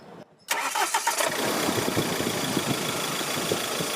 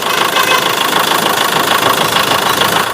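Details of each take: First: Mahindra Scorpio mHawk diesel with old injectors that were repaired and refitted, and the intercooler reinstalled: a brief crank, then it catches at once and settles into an even, steady idle. The earlier engine disturbance is gone and the sound is much improved. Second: Mahindra Scorpio mHawk diesel after engine rebuild, idling: harsh uneven metallic clatter about three knocks per second with ragged beat and light exhaust smoke; faulty injectors causing knock and misfire.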